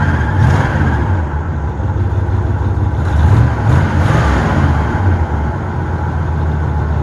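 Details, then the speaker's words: 1977 Pontiac Grand LeMans, 301 V8 with two-barrel carburetor and dual pipes, owner suspects hole in left-side exhaust; belt squeak at start; deep uneven V8 burble with loose puffy exhaust note at idle, possible exhaust leak. "let me get it fired up for you guys because it doesn't sound half bad for a 301 might have something to do with the hole in the exhaust but i don't know"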